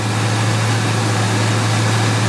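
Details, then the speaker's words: 2002 Ford F150 supercharged V8, P0171/P0174 lean codes: steady high idle, smooth low hum with even hiss, no surging; short-term fuel trims within ±5, long-term 0; normal idle after runtime. "Alright, we're holding high idle. We're watching these short terms bounce between some negative numbers and some positive numbers, all within that ±5 bracket. So after a little bit of runtime, it started acting normal."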